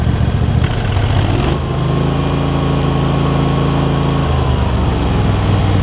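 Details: Craftsman garden tractor Kohler CV20 twin, pre-warmed, after carb clean and idle adjustment, started without choke: steady even low thrum, no stumbles or misses; runs smooth and healthy.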